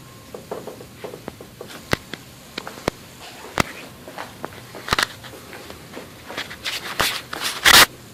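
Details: 2004 Cadillac DeVille with newly installed KYB strut assemblies: sharp, irregular clicks with the slightest suspension compression, reverberating through the strut towers; strut clicking on compression, cause undetermined.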